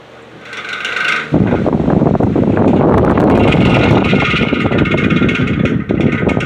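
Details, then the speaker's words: Patton U2-1479 14-inch floor fan, first test run, heavily used: spins freely into a coarse, uneven rattle and scrape with a whir; bearings need oil and washers likely worn, rebuild expected. "I mean, the bearings are definitely in need of oil, but it sounds like those the washers in that thing definitely need to be replaced. I mean, it's free spinning. It's not like it's particularly seized up or anything, but more than likely I'm gonna have to do a rebuild on th"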